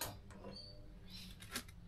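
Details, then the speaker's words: Baumatic BD45KG clothes dryer after fan belt replacement, started cold: motor hums faintly with light clicks but the drum won't turn until spun by hand; failing motor start capacitor. "It's trying to turn. It's humming. But if I give it a bit of a spin at the back. Let's go around the back here. It's definitely spinning. So, it was trying to start. It was humming, but just couldn't get away."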